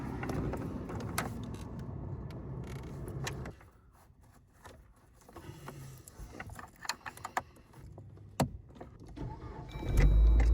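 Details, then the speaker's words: Dodge Journey after replacing the HVAC blend door actuator (old one had stripped teeth and clicked): steady engine and blower hum with soft air swishes as the door opens and closes, no clicking; normal operation. "Look, now that air door equator is working and it's not making sound anymore. Look, this door is opening and this door is closing. It's not making noise anymore."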